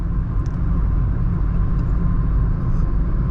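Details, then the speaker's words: Tata Altroz DCA cabin at about 80 km/h highway cruise, around 1900-2000 rpm: only low steady road rumble and faint engine hum, engine, tyre and wind noise near zero, a faint whine barely audible; quiet, healthy drivetrain. "Road slash tyre noise ना के बराबर ही बोलूँगा। Wind noise भी जो है वो भी ना के बराबर है, यानी कि 80 पे बहुत प्यारा माहौल है कैबिन का।"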